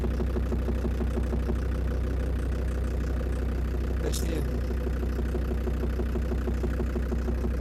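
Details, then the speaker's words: Land Rover Defender Td5 diesel idling after radiator work, mic at the snorkel where it seems loudest: steady light tick about three per second, not fading with warm-up; suspected hydraulic lifters or exhaust manifold, unconfirmed. "за меня лично это звук загадка отдает он соответствовал я нашел источник неожиданно источник этот это шноркель"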